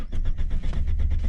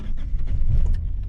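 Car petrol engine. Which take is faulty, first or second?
first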